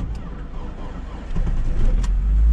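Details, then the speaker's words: 2021 Lada Niva Travel, 24,900 km, cold start around -23 to -27°C, battery at 11.2 V, thickened gearbox oil: engine catches quickly, low rumble builds into steady even running, no knocks or misfire; healthy cold start. "ну все вообще отлично слышите мотор работает ни стуков ничего все прекрасно"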